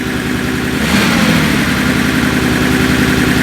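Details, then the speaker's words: Mercedes CL65 AMG twin-turbo V12 first start after 50-hour engine job: initial ticking went away as oil reached; smooth, even idle with steady hum, picks up briefly with a little throttle, no weird noises; normal idle. "it's alive it's alive the v12 runs it runs well doesn't make any weird noises"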